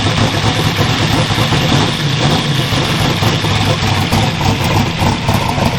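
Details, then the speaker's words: Twin GT45 turbo 468 big block with AFR 305 heads, 4500 Dominator throttle body and Holley EFI, first start after rebuild, not cold, tuning not right: rough, lumpy idle rumble, smoking unburnt fuel; running rich as can be, 58 psi oil, 49 psi fuel. "So, that's all unburnt fuel. It smells like raw fuel. It's running rich as can be."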